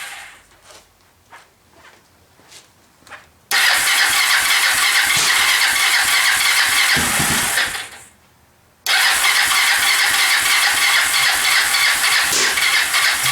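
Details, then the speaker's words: Kawasaki Lakota 300 single, first start after top end rebuild, in neutral, on choke; weak cranking puffs then harsh ragged running that catches, cuts out and restarts; cam timing later found 180 degrees out. "Man, it sure sounds like it's out of time."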